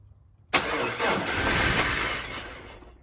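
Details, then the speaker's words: 2000 GMC 1500 parked 4 years with rodent-chewed wiring, cranked by jumping the starter solenoid with no fuel in it: starter spins, engine catches and roars about two seconds, then dies. Cranks and fires briefly then dies. "Well, uh that worked. Far as uh turning over, and it did kind of uh run for a second."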